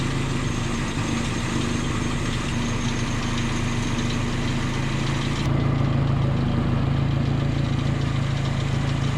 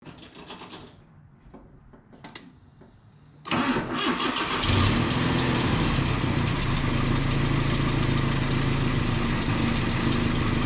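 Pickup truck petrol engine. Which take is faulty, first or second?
second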